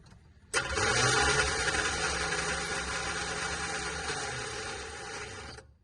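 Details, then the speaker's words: Cheap Chevrolet squarebody truck started with a jump pack: starter not engaging and whirring on steadily for about five seconds after the key is turned off, then winding down; suspected stuck solenoid or short. "Yeah, okay, so the key is off whenever you hear it continue to run."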